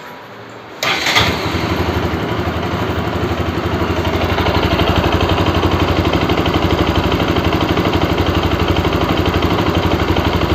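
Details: Bajaj RS200 motorcycle, after engine noise fix: catches within a second, then settles into a steady even beat about four per second with clean pickup and no knocking or rattle; normal start and rev.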